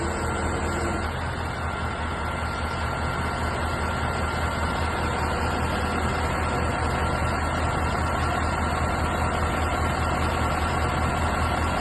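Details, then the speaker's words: 2019 Kanglim 2056 crane column slewing with a 1-tonne load after central collector seal replacement: steady engine drone with faint even hydraulic whine of oil through lines; smooth, no grinding or jerks as before. "но пока все хорошо никаких посторонних звуков не наблюдается установка идет ровно"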